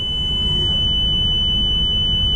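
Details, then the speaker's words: Leveling system with jacks down and key in ignition: loud steady high-pitched warning beep over low pump rumble, meant to stop driving away until jacks are retracted. "you hear that horrible horrible beeping noise what that means the jacks are down the key is in the ignition the system is trying to prevent you from starting the vehicle and just driving away"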